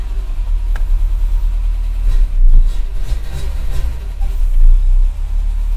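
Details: Renault Super 5 after a year and a half of restoration: engine catches and settles into a low, even idle with a couple of small blips and no carburettor popping; normal start and idle, adjustments still pending.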